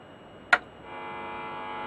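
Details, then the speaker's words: Standard Hi-Fi record player amplifier after a full capacitor replacement, powered from a bench power supply: a click at switch-on, then a steady fixed-pitch buzzy mains hum because nothing on the bench is earthed well. "obviously it's going to be a big homo because there it's all I on the bench here nothing's really earthed very well"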